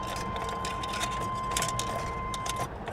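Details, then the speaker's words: Lincoln Town Car Jack Nicklaus edition at auction, with overfull oil suspected not to be all oil. It has gas and good oil pressure. Steady, healthy cranking chug under a chime, no fuel pump hum heard; cranks but never starts. "it sounds like it's cranking pretty healthy maybe dog wigging a little bit"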